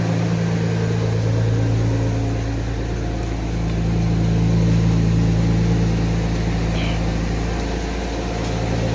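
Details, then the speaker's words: 1991 Mercedes 190E just after lifter replacement, first start with lifters not yet fully filled: smooth even idle, steady low hum, no valvetrain tapping; normal idle. "these lifters even not fully not fully uh filled no noise not even properly filled up lifters"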